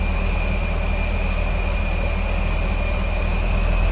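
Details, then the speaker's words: Supercharged Honda S2000, freshly tuned, started up after fuel pump swap (255 pump, canister), warming up at idle: steady even low rumble with faint constant high supercharger-type whine, no stumbles or hunting; starts right up, runs pretty good, normal warm-up idle. "All right. We got our tune going on here. She's running pretty good. Starts right up."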